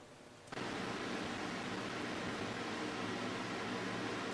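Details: Homemade fan air cooler with a small fountain pump (about 75 gallons per hour) circulating ice water: soft, even rush of moving air holding steady, no rattles or surges; fan and pump run normally.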